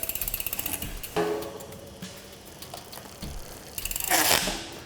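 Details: Niner mountain bike after a frame swap, spinning on the stand. A quick, even run of crisp freehub ratchet clicks with clean chain action: a healthy drivetrain.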